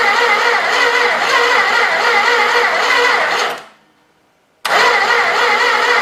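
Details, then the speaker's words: Old 318 V8, has spark after ballast removal, intake wet with fuel: starter drones in a sluggish, even rhythm, pauses, then grinds on without catching; slow cranking no-start, starter to be wired straight to the battery for faster cranking. "try all right to see if I can get it to crank a little bit faster"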